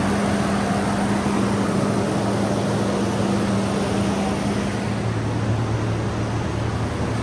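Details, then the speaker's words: 1994 Toyota 5-speed four-wheel-drive pickup, 149,000 miles, first start after sitting 8 years following new fuel pump and cleaned tank: steady, even idle with smooth low hum, no knocks or misses; running cleanly, normal idle. "How about that? First start in 8 years. Sound pretty good."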